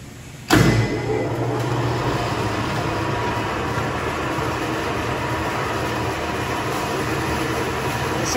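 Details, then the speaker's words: Refurbished Harshaw model 2 18x18 inch spin dryer, 2 hp 460 V three-phase motor, lid closed: steady even whir from motor and drum, no knocking, scraping or wobble; normal running. "unit has been fully refurbished very nice condition we'll close it down now so you can see and hear it run"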